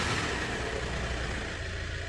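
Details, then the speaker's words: Maruti Suzuki Ertiga started right after programming a replacement key transponder chip, key light stopped blinking: engine catches and settles into a steady, even idle with a soft low hum; normal start and idle. "और यहाँ गाड़ी start हो गई।"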